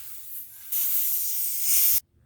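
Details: Tire being plugged after a puncture: loud, steady hiss of air escaping through the puncture hole for over a second, cut off abruptly.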